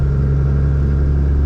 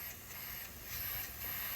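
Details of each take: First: 2002 Cummins Ram diesel with new Mishimoto intercooler and 125hp DDP injectors, under load: deep heavy drone with faint steady turbo whistle, spooling cleanly. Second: Boost leak test with the engine off: a steady hard hiss of air pouring out of the intercooler, swelling slightly in pulses, leaking from a side rung behind a bracket, a bad boost leak needing a new intercooler.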